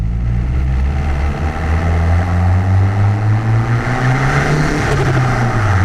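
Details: Car fitted with new MRP 3-inch aluminum MAF housing, warmed up after earlier breakup issues: strong, steady low drone climbing smoothly with throttle and dropping back cleanly, no stumble; engine running healthy, seemingly fixed.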